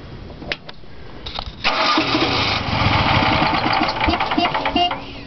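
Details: Generac 044561 12 kW LP-fueled standby generator, cold morning start a few days after a tune-up, having struggled to start the day before: several seconds of uneven cranking without catching; needed a second manual start.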